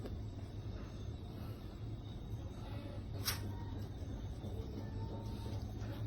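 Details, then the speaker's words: Samsung washing machine, about 2 years old, loud in the spin cycle, tested empty after parts replacement. A low even drum hum builds as the spin speeds up, with no knocking. It is steadier than before and the shocks damp well. "เร็วขึ้นแล้วนะครับถือว่านิ่งนะครับถือว่านิ่งกว่าเดิมก่อนหน้านี้ครับจะสั่นนะครับช่วงช่วงที่มันจะเหวี่ยงด้วยความเร็วรอบเพิ่มขึ้นนะครับอันนี้ถือว่าโอเคอยู่"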